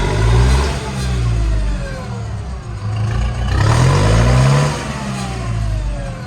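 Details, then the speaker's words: Late-1990s or 2000s lawn tractor that wouldn't rev at all and needs a starter solenoid; after key cycled off and on, small engine now picks up cleanly through rev rises and settles without stumbling. Owner suspects a computer issue. "Fine now. Revs up fine. So I think it's a computer issue."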